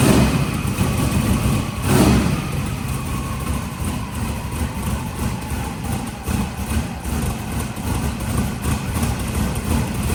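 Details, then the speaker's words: Turbocharged engine on a shop start. There is a steady, rumbling, even idle with no knocks or misses. It always smokes from one side, and the owner is unsure whether this is residue from the turbo or header. The idle is normal. "sounds good that side a little bit I don't know what the deal is with it I don't know whether it's residual from in the turbo or in the header or what I don't know it always smokes out that side"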